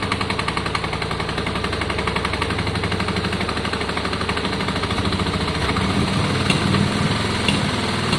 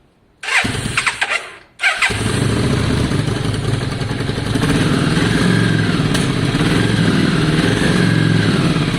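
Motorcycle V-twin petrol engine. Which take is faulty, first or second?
second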